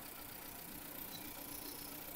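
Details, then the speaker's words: 2015 Nissan Juke 1.2L with P0300/P0304 misfire codes, shaking and smoking, at low idle during a cylinder drop test; coil connector unplugged on cylinder one gives slight uneven pulse and rougher running, showing that cylinder fires. "connector plug connector yeah I can feel engine getting more violent that's mean this cylinder number one working"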